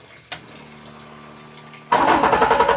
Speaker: yeah. All right, now I'm super curious about whether that WattCycle battery is gonna work in the same kind of arrangement.